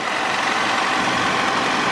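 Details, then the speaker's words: Copart auction car, likely a 2001 Toyota Camry, just picked up: steady, even idle with a smooth hum and no ticking, knocking or stumbling; running healthy. "sounds like it's running pretty good"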